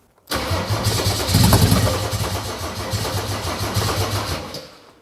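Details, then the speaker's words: Mercedes OM606 diesel with Ofgear pump control, cool weather: steady fast cranking about 3.5 beats a second, never fires; fuel return not yet flowing, priming still incomplete. "Eelmine kord me ketrasime nii kaua lihtsalt, et tuli ülesse ja Tegelikult peaks tagasi voorust hakkama tagasi tulema, siis oleks nagu õige, noh, praegu tegelikult veel ei tule."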